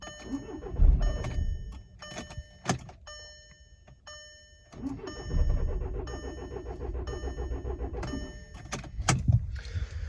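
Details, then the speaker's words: Cheap non-running VW TDI diesel on battery charger cranks in uneven bursts, briefly catches with rough low rumble, sputters and dies; earlier ran about five seconds then died; owner doubts battery, thinks not an immobilizer issue. "as far as cranking it yesterday it would spit in sputter and and then uh shut off and same thing um actually it ran for probably five seconds before spitting sputter and shut off and then I can never get it going again"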